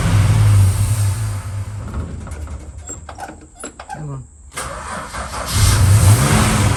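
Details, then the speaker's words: Valiant VH Charger first start after starter and relay work: loud, uneven running with lumpy revs sagging and surging over a low drone; blowing back past the carburettor, cause unconfirmed. "all right well at least you know it runs and we've got some issues to look at with the cubby and also some issues to look at with tommy that's why it's blown past"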